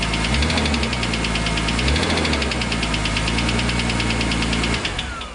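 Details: BMW M3 E46 with S54 engine, knocking that began a few days after a racing event: sharp, regular knocking about three times per second, clearly above the engine note until shutdown; source not identified.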